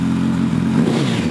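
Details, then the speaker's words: Budget motorbike after valve clearances done and cam chain tensioned, said to be a bit low on power, sounds better than before: steady, even note with light top-end clatter, no irregular knocking at fast idle; normal running. "To be fair, it doesn't sound as shit as it did before. Well, no, because it's had all the valve clearances done."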